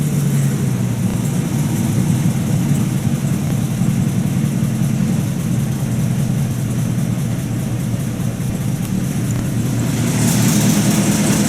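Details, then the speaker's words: 1950 Buick Roadmaster during restoration, just started and still needing throttle nursing: low, slow, loping idle with uneven beat, barely holding speed; a known slow idler. "Oh Gary did say she is a slow idler not exactly fast"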